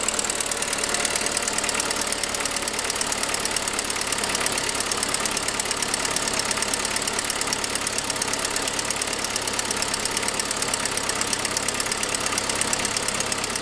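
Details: 2006 Saab 9-5: fast, sharp, hissy ticking at idle, about three per second, rising with engine speed; began after a noisier turbo sound. Exhaust manifold leak caused by the forwardmost exhaust stud breaking (fairly common), not a lifter.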